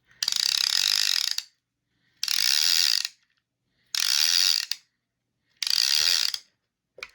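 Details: Penn Leveline 350 baitcaster reel after cleaning, lubrication and reassembly: four crisp bursts of fast, bright ratchet clicking as line is pulled, even and clean with no grinding; the clicker works properly.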